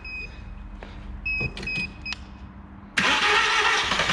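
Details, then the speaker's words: VW Golf with a secondhand replacement engine just fitted, starting after the swap: a couple of dash chimes, then the engine fires at once and holds a smooth, steady run; healthy start. "oh yeah dude wow we have a working car"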